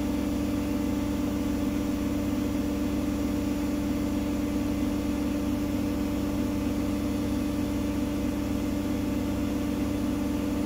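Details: Gorenje SensoCare WAE74 washing machine after motor bearing replacement, full-speed spin reaching 1400 rpm in about 16 seconds: steady smooth drone, motor barely audible with no grinding or rumble; faint whir from the worn pump.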